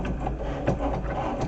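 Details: Cricut Maker engraving a Silhouette metal etching sheet: a low, even mechanical hum with soft ticks as the head moves, no screech or grinding; running normally.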